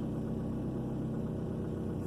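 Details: 2003 Ford Focus petrol engine, after fixing cylinder 2 misfire (code P0302): steady, even low idle hum with no stumble or missed beats; idles smoothly.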